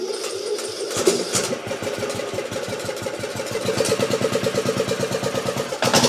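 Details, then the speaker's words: Craftsman YT 3000 lawn mower single cylinder with Nikki carburetor, previously flooding: catches after uneven pulses and settles into a quick steady putter; choke had to be fully off to start, likely still flooded; normal idle. "all right there's idle so it is idling but I don't like I don't like the way it was starting"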